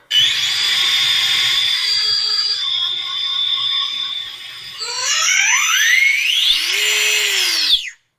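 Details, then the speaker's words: AMK LCG carbon SCX10 II crawler, Sidewinder 4 ESC and 9 iMod 2250 kV outrunner, on the bench: loud piercing whine sweeping with motor speed; drivetrain screeching, gear mesh doubted as the cause. "See if I can get this thing running smooth and get that horrible screeching noise out of this thing."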